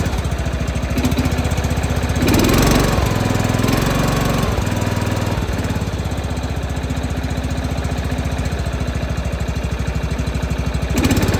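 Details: John Deere 165 Hydro lawn tractor single-cylinder engine after replacing ignitor chip and ignition coil to cure sporadic spark: steady, fast chug that holds speed after a brief rise, no misses or knocks; running properly.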